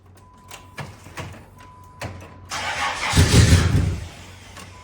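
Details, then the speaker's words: Dynasty barn car after about 3 years stored: ticks and clicks, then over a second of starter cranking that never catches; crank no start, owner suspects the security system requiring lock and unlock, not confirmed. "I think I had to you had to lock it and unlock it. Do a hat trick. There was something with the security system on this, I remember."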